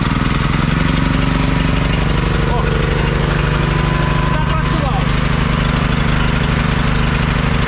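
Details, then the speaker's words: Carbureted generator converted to run on mains natural gas, gasoline disconnected, started fully cold and warmed about 30 seconds: steady, even speed with no surging or hunting. The ammeter holds steady and it stays steady when a light load is switched on. Normal running. "Все уже його не ковбасить амперметр стоїть на одній пожовці такк має бути 65 630 чуєте як він працює так рівненько мотор робить все"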